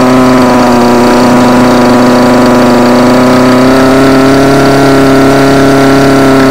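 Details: Homelite UT20042A string trimmer with new C1U-H60 carburettor, warm, wouldn't idle: high two-stroke buzz held at throttle, pitch drifting slightly up as mixture screw is turned during tuning.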